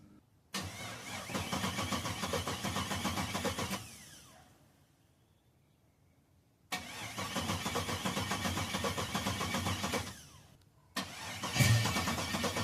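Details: 1985 Oldsmobile Cutlass Supreme with a 4.8L LS swap, first start after sitting over a year, fuel pump primed: two long cranking bursts of about three seconds each, then a short third try, with no firing; it cranks but won't start yet.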